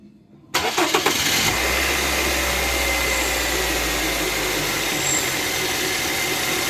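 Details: Car engine after replacing the accessory-belt tensioner, which had caused a strange noise when engaging drive or reverse: it starts quickly and settles into a steady, even idle with no slap or chatter from the belt side; normal idle.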